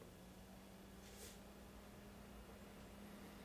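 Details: Soldering smoke-exhaust fan on a 12 V bench supply, switched by an ATtiny25 via an MQ-2 gas sensor: faint steady low hum with a soft even rush of air, no rattle or wobble; running normally.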